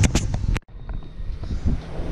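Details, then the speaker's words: Newly installed ACIQ central AC unit with Honeywell T9 thermostat, after a pinhole leak was brazed and a 250 micron vacuum pulled; running near full capacity. Brief knock, then steady even compressor and fan hum, quiet; normal running. "at this point it's running pretty much at full throttle and it's quiet"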